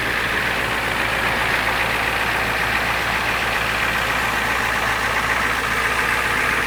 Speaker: The famous 7.3 IDI, naturally aspirated, no modifications. Sounds great.